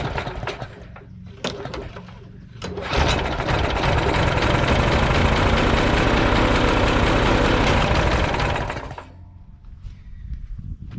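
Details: Troy-Bilt mower with old Briggs & Stratton Quantum 4 HP engine, fresh gas, choke on, spark plug cleaned, after gas-leak and no-start complaint: a few pulls, then it catches and runs a steady, even fast putter for six seconds before shutting off. Healthy.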